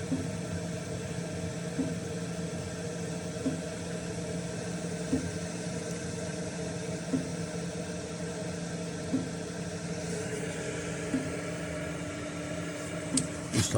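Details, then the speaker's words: Chinese diesel air heater after switch-off: steady fan whir with low hum and faint light ticks every couple of seconds as fuel is cut and the fan cools the unit, normal shutdown cooldown. "so same thing you listen fan kicks in turns the fuel off"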